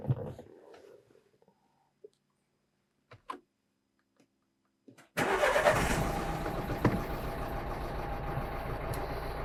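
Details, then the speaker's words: 2012 Renault Megane 3 1.5 diesel with fault code P0202 (cylinder 2 injector control, invalid signal) and many other fault codes: catches after a short crank, then idles with an uneven, lumpy beat as cylinder two drops out; misfire from the injector circuit fault. "так проблема У нас з другим циліндром то есть вона троїть то жалоба на те що вона троїть і висвічується куча помилок"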